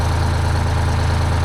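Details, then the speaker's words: 1975 Peterbilt 359 with Detroit 12V71 V12 two-stroke diesel, right bank previously cold; freezing weather, better oil pressure: steady even low drumming idle, no misses or knocks; one side slightly hazy, much better, normal idle. "that definitely seems better that side's a little hazy but you got to remember last time we ran it it wasn't really doing anything that seems much better"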